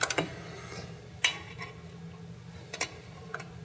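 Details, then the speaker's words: Garage door opener at a training demo: a few sharp, light clicks over a faint hum as the turning travel nut trips the limit switch; normal stop at end of travel. "see how the nut just met you here click do you hear that there was a switch the bottom switch clicking"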